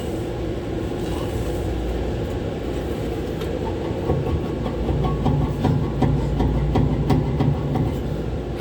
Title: kehe ru 10 condenser fans 1 and 3 bad bearing